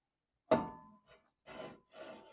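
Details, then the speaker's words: 1976 BMW 2002 at its 600-mile break-in service: front hub turned by hand after loose wheel bearings were adjusted. Dry scraping rasps come in bursts as a brake splash-shield bolt head rubs on the brake disc. "Oh yeah, you can hear it. Oh no. So yeah, that bolt is 100% rubbing."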